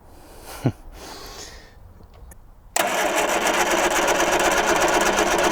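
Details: 1978 Triumph Spitfire 1500, unrun for years, cranked to see if the pump draws fuel from the tank: quiet at first, then a steady churning crank about four beats a second that never catches.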